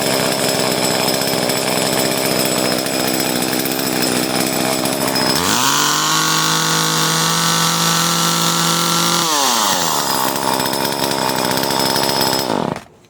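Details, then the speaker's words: Echo CS-303T chainsaw after loosening and re-tightening the carburetor adjustment during a tune-up; screams at high revs, drops to a steady clean idle, revs again, then shuts off; runs healthy, likely no further adjustment needed. "Now it's actually sounding better. Like, I don't think I have to adjust it at all,"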